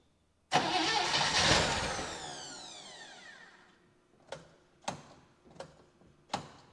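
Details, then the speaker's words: 1960 Chevy Brookwood wagon sat about 20 years, rebuilt carb, new cap, manual choke, float bowl just filled: one loud burst fading within seconds, then scattered uneven pops; very rough running, owner suspects starving it on the manual choke. "where we left off it ran but it was very very rough"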